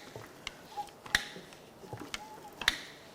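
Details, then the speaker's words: Removed, failed Audi 3.0L TFSI EA837 CREC engine turned over by hand: irregular sharp clacks and ticks from the timing chain tensioners, which have no oil pressure. "That noise you're hearing is this tensioner here and probably this tensioner here because they don't have any oil pressure."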